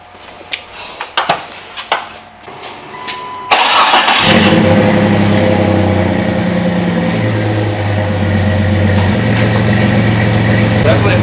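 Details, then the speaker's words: Jeep ("Little Yellow Banana") with new custom exhaust and Flowmaster 40 series Delta Flow 2.5" muffler: a few clunks, catches and settles to a deep burble with throttle blips; runs clean, exhaust healthy and quieter. "Okay, kill it. Good. It doesn't get louder. No, it's quieter."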